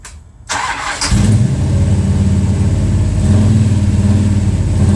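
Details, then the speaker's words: Plymouth Road Runner after engine overhaul, timing heavily advanced, near operating temperature, owner mentions pre-detonation: catches after a short crank and settles into a lumpy, uneven, loping idle. Rough idle; owner suspects timing or carburetors, cause unconfirmed. "I ain't fighting it no more today. I got it running. What it definitely needs is more love."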